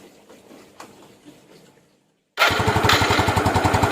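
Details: Yamaha Jupiter Z with lost ignition (main fault a pulser) running on its stock CDI during testing: fires after a pause and holds crisp regular putter about four beats a second; CDI fine, ignition firing.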